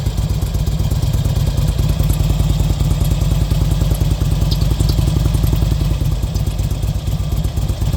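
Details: 2005 RK Classic V-twin at idle: a rapid, even clatter of light ticks over the deep idle thump, a mechanical top-end noise whose cause is not yet pinned down.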